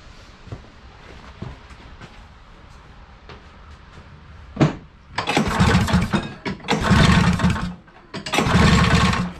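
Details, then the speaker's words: 1983 Polaris Indy Trail 440 barn-find snowmobile being revived, carbs off and checked, piston not scored: three long pull-start bursts with ragged, uneven chuffing that never settles to an idle, seemingly running really rich. "again sounds like this is running really rich"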